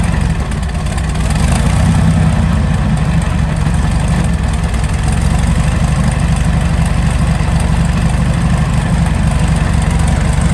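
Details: Meteor Interceptor car with Centurion tank V12 engine, first complete drivetrain test on jack stands after rewiring; warm idle, transmission pressure 15 bar: deep, even low rumble, no knocks or misses, healthy idle.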